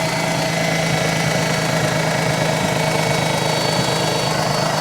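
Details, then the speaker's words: Mazda RX-8 rotary bought at auction, just started with some throttle, possible compression issue feared: uneven wavering lumpy idle drone with hiss; owner suspects vacuum leak; cause not confirmed. "Yeah, I mean, I haven't spent enough time around them to really know what they sound like. Almost sounds like there might be a vacuum leak."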